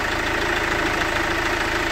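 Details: 2008 Chevrolet Captiva diesel, hard starting hot or cold, heavy smoke, revs capped near 3000, weak pull, no warning lights: uneven idle with fast, steady hard clatter.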